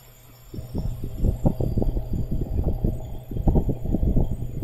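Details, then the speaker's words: R290 cooler with an Embraco compressor that is not cooling (56°F, 0.97 A draw): an irregular, clunky chattering as the compressor ramps up and drops out. A restriction or leak is suspected. "okay compressor just ramped up you can hear that chattering noise it's almost like the compressor is pulling down and stopping that's really weird"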